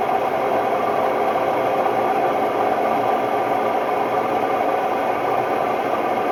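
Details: Hotpoint Ultima WMD960 washing machine on a fast test spin: a loud, steady roar with a rattly hum throughout, from bad drum bearings.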